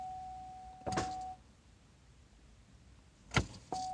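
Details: Pontiac Grand Am towed in as no-crank, starter previously seen covered in oil: key turned gives a sharp single click with no cranking over a warning chime; starter smoked and smelled burnt, starter suspected.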